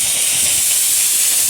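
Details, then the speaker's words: In-ground sprinkler blowout with a 22-gallon air compressor, zone 2, valve opened slowly: loud, steady hiss of air through the heads with only a faint spit of mist; line purging properly. "And over here, We have the heads from before, and now we're getting the air. That's what we want to hear and see."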